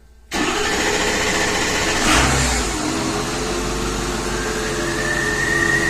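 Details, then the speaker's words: 2006 Ford F350 6.0 diesel after a no-start with low ICP, fixed by replacing a missing IPR o-ring; 675 psi ICP on cranking, warm so no glow plugs needed; quick catch and steady even idle with no stumble: normal start. "I'm impressed so it's back together and running"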